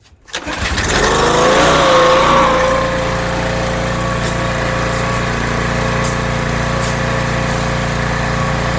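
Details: Rebuilt pressure washer small engine with a known leaking manifold, cleaning car dirt after the water was turned fully on: catches after brief crank, then even, steady drone under pump load, no stumbles; runs really well, normal running under load.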